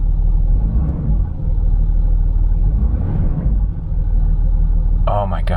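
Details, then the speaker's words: 2008 Land Rover Discovery 3 TDV6: a steady, even low diesel rumble with no hunting or surging, giving a realistic oil temperature reading, and the previous idle problem is gone. "This is incredible. We got a realistic oil temperature and the idle problem is gone."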